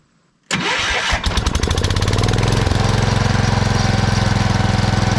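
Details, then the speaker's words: 1979 Kohler K301 12 hp single after carburetor cleaning and idle readjustment: catches within a second, briefly sputters, then a steady even chug with no misses; the throttle shaft affects idle slightly, but it runs well wide open. "so that throttle shaft is effective ing our idle a little bit but it still runs pretty good when it's wide open so I think we'll call that good"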